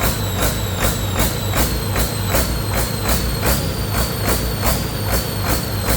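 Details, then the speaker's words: Detroit 40 series generator turbo diesel (rebranded Navistar DT466, possibly DT530), sat outside 5+ years, run briefly without coolant after bleeding injectors: note swells and fades about 2.5 times a second, no knocking, throttle going back and forth; pump/governor suspected, unconfirmed. "I don't know why it's jumping like that. The throttle itself is going back and forth. See if I can get that pump to smooth out at all."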